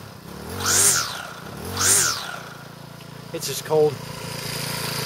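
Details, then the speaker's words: Troy-Bilt four-stroke trimmer, cold, on half choke, after clutch failure repair and reassembly: two rope pulls, then it fires and settles into a steady even idle with no misses; normal idle. "start it up here it's cold leave it on half joke for a minute or two"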